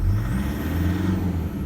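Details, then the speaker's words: Toyota Prado 120 with 1KD-FTV diesel, cold, during injector diagnostics. Deep, even run with a mild steady clatter as it revs cold, normal cold injector noise; stated injector load spec is 11 to 16. "it's about what they normally sound like so it is normal to hear a bit of noise when they're cold so don't panic"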